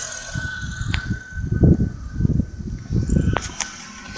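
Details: Nissan Tiida 1.6 manual at idle: thin steady whistle from a worn clutch release bearing; cured by replacing the clutch kit (Valeo).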